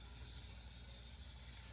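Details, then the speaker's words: Frigidaire upright freezer that isn't cooling enough, lower cover off at the frosted evaporator coils: steady low hum with an even faint hiss, no knocks or surges, normal refrigerant flow. "so you can hear the refrigerant moving totally normal"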